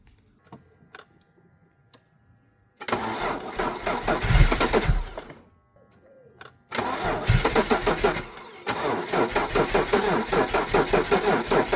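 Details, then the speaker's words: Abandoned BMW E46 330Ci, sitting since about 2019, with a new fuel pump, fresh oil, water in the radiator and 5-year-old fuel: steady rhythmic starter whirring with no firing, cranked with the fuel pump fuse pulled to prime oil pressure. "But I just want the oil to basically pump around for now, so it's just gonna go wah, wah, wah, wah, wah, and nothing, and then we'll hopefully get oil pressure around and then give it some gas."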